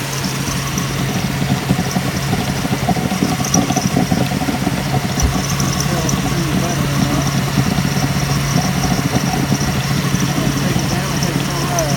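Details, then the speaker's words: 2005 Subaru Outback 3.0 H6 at idle, Blue Devil head gasket sealer being used for a suspected blown head gasket: steady drone with uneven stumbles and shakes in the exhaust beat; misfire traced to the number three cylinder, found to be a glazed fuel injector. "so what we did find is during that time we were chasing the misfire and turned out that the number three cylinder was given us an issue"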